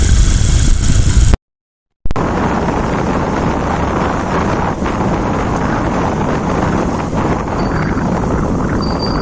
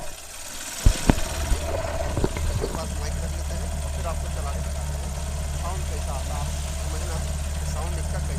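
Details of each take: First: Hero Shine motorcycle after engine rebuild and primary gear replacement, which fixed a crack-like noise, microphone low near the engine; even steady idle with some wind rush, no knocking or gear rattle; sounds healthy. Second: Hero Shine motorcycle whose engine had been rebuilt elsewhere, before repair: after a few sharp clunks it settles to idle with a light repeating crack-like crackle from worn primary gears; it doesn't sound as good as it should.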